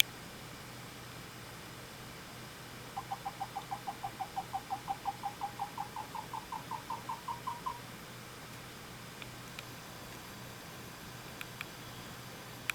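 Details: A Corsair HX650 PSU fan gives a quick run of squeaky chirps, like a dolphin crying, climbing slightly in pitch for about five seconds as the fan spins up and down. This is the second unit with the same fault.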